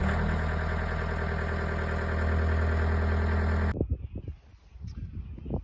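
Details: John Deere 324G skid steer diesel, started after a hydraulic hose replacement and oil top-up: steady, even rumble with no knocks or misses for several seconds, then shut off; healthy run.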